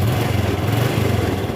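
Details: Honda Wave 110i that would not start despite normal spark: with a replacement spark plug fitted it starts at once and holds a steady, even single-cylinder putter; original plug would not start it; normal idle.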